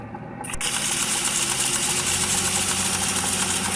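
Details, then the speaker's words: Hyundai Grand i10/Xcent, noise worse on acceleration: engine starts and settles into a fast, uneven "kat kat" ticking rattle above a busy hiss; worn timing chain, hydraulic tensioner and high-pressure pump sprocket, replaced; timing chain rattle. "देख सकते हैं, सुन सकते हैं कि ये cut cut cut cut करके एक नॉइज़ हो रहा है।"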